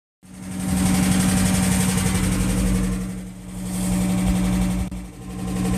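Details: 1UZ-FE V8 swapped into a Toyota Crown Wagon GS130G: a busy metallic rattle over a low hum from running without oil pressure, cause unclear.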